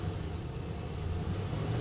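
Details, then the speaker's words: Cold-started Buick Roadmaster V8 at a salvage auction: low, even rumble with a steady beat and no stumbles or knocks, not misfiring; normal idle, running smooth. "no she's running smooth as silk guys"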